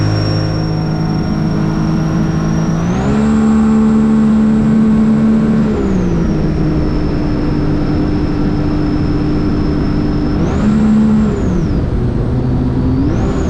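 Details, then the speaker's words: 2017 Sea-Doo RXT-X Rotax jetski during wiring and fuse box diagnosis: engine revs up cleanly twice and settles to smooth idle, pitch rising and falling evenly, no stumble; normal revving. "wow that sounded pretty good it sounds nice and clean"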